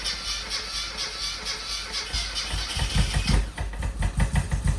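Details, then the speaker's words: Classic Mini with blown head gasket (engine never converted to unleaded), before repair: small petrol engine cranks, catches and runs with an uneven, lumpy beat, not running on all cylinders; also clunked in gear. "it's not fireing there is it that knocking it's not I say it was doing that but it was also um clunking in gear"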